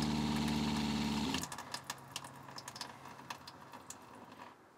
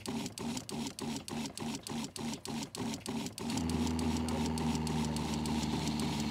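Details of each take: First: Winnebago Revel RV fresh-water pump after an accumulator tank was installed, faucet slightly open: steady, even motor hum with no chatter or surging, running continuously for a while, then shutting off cleanly. Healthy pump. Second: Winnebago Revel RV fresh-water pump after adding an accumulator tank; small pump chatters on and off about three times a second then runs steadily, still cycling but far less often than without the tank.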